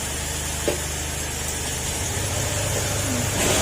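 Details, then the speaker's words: Honda Click 125 scooter after full engine overhaul: steady, even idle putter with no ticking, knocking or rattle; engine quiet again and no longer smoking. "Tahimik na uli yung makina niya. At syempre, wala na rin siyang usok."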